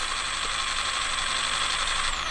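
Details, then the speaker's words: Castle Creations Cobra 10 ESC in a rock crawler, being programmed via CastleLink: a high whine slides down in pitch while the throttle is held steady. It can't be tuned out; owner wonders whether the voltage is too low. ESC switching frequency hunting. "yep can't can't tune that out right now so I'm I'm assuming they're going to have to make an update on that"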